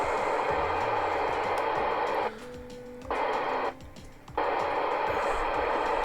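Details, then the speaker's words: Communicators NI-440-DX 27/81 CB radio after a quick service and control cleaning: receiver hiss cuts out abruptly on each transmit key-up with a faint tone, then snaps back. The noise comes from the relay switching the VCO circuitry. "A couple of little annoyances with this radio is that noise when you transmit, due to the relay switching the VCO circuitry."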